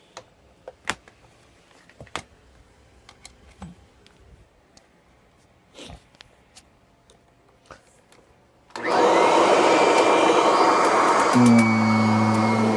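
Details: Kirby G10 Sentria vacuum run without its dust bag after sitting unused since the bag was pulled; a few quiet clicks, then the motor starts with a loud steady roar and high whine. Running without a bag is not recommended.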